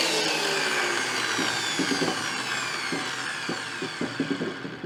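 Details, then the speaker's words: Repaired WEN PL1326 13-inch spiral benchtop thickness planer free-running before feeding wood: loud high whirring cutterhead, steady motor tone sliding lower, no grinding or knocking; running normally. "well that seems to make a generous amount of noise"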